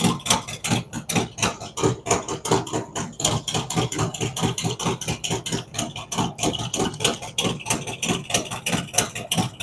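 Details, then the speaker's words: Freshly built cammed V-twin on initial idle tune, no throttle input, warming toward 180°; idle dropping as temperature rises, map spot on; loping idle about ninety uneven thumps a minute, steady, no knocks or misses; normal idle. "the idle will drop down as the engine temperature comes up and we're spot on with the map it's only making small increments changes as it goes along"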